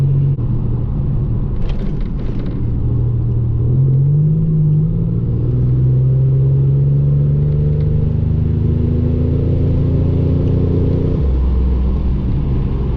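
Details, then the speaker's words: 1987 Buick Regal Turbo driving with upgraded lifters, new pushrods and a Precision 6262 turbo swap: smooth, steady engine drone, revs rising and easing, no valvetrain ticking; drives quieter. "it drives a lot quieter"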